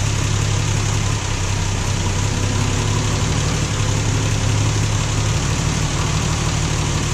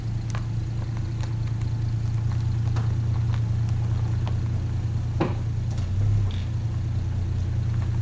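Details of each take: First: Plymouth Valiant Slant Six cold start after sitting seven months over winter, started in neutral so the transmission pump primes; steady even low idle with slight early tone shift as pump kicks in, normal. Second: Valiant slant six warming up after seven-month cold start: steady low idle with light ticks and a small stumble midway, smooths at fast idle; owner plans a valve adjustment.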